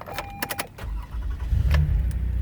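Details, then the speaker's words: 2019 Toyota Sienna LE mobility van with 15k miles: keys jingle and a chime sounds, then the engine catches within a second into a smooth, even idle; starts first time, every time, no issues. "up first time, every time, no issues."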